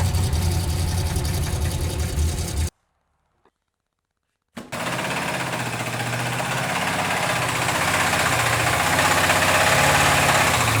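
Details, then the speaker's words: 1978 Firebird Formula Pontiac 350 V8 at idle: a steady deep knock about four times a second that worsened with every start. Teardown found worn-out rod bearings; the engine is being re-bearinged. "we are finally at the root of the problem so i was kind of right the bearings are gone down here"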